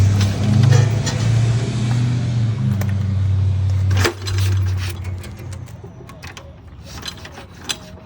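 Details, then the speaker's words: 1954 Cushman Allstate scooter, 5 hp Cushman Husky single-cylinder with magneto, first run with gas poured in the carb: low, even drone runs steadily about four seconds then cuts out to handling clicks; runs fine. "So yeah, it ran great the first time around. All we did was pour some gas in the carb and it fired right up."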